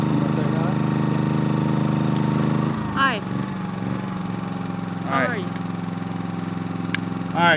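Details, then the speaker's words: Generator powering an RV air conditioner. When the air conditioner is switched off, the engine steps down from a slightly-above-idle load speed to a softer, steady idle, running normally. "can hear right there that that's going down to air conditioner off and that's back at idle speed so you can hear the difference"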